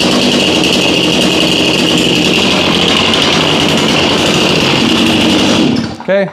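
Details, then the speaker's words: Chainsaw from a 2021 lawn care fleet, run at about 30°F after 5 months on untreated ethanol-free fuel, chain loose. It holds a steady, even high-pitched buzz for several seconds, then cuts off cleanly: normal running. "surprise there chainsaws always seem like they want to start no matter what kind of condition they're in"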